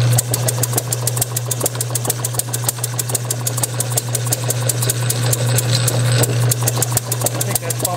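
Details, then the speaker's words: Bessemer model engine motored electrically on a test bench, with Hall-sensor ignition timed just before top dead center: sharp, regular pops about three a second over the drive-motor hum. It fires nearly every stroke but won't run alone; owner suspects too little fuel-air mixture from undersized intake pipe, or compression leakage. "like it's hitting just about every stroke so that's where it is at this point"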